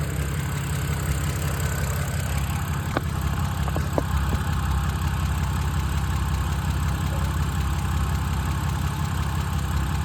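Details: 2007 BMW 328i E90 N52 at idle: light fairly regular tick over low rumble; owner unsure if lifter tick or early rod knock.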